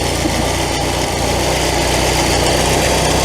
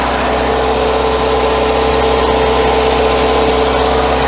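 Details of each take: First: Classic VW Scirocco carbureted petrol engine after sitting a year: fast, slightly uneven idle with a hissy whistle from a massive intake air leak; brake cleaner raised engine speed, and carb-to-base mounting nuts were found loose. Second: Classic VW Scirocco with a carburetor, first start after sitting a year, choke out, airbox off, still warming up; the engine settles into a steady, even idle with a smooth hum and no knocks, misses or rattles. Normal idle.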